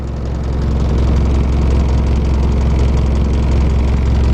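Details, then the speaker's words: 1981 Mercedes-Benz 240D diesel, cold: deep uneven clatter at idle, lumpy rumble with irregular knocks three to four a second, whole vehicle shaking; runs rough cold and improves as it warms, cause unconfirmed. "I don't like the way to thing running running kind of rough"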